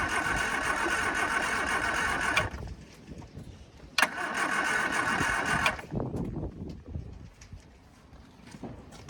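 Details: Long-unused Scamp, battery just fitted: steady churning starter whir in two bursts with no firing catch; cranks but won't start. It later fired once a boost pack was added; owner suspects weak battery, coil and spark plugs.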